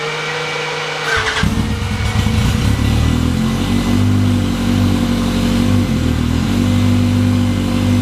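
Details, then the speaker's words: 2017 US Legends car after carb reinstall and jet change, no leaks, air filters not yet on: engine catches after short crank and settles into a steady even low rumble with no misses; running healthy. "And we're pretty good there, so I'm going to try to fire it up."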